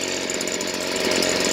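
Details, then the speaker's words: Stihl BG56C leaf blower, a 27cc 0.9 hp two-stroke, freshly tuned up and warmed 5–10 minutes, idling. Bright, buzzy, steady hum without stumbling or surging; the carburetor seems set perfectly. "that's one, because the carburetor seems to be set perfectly, as well as it's serviced and running really well."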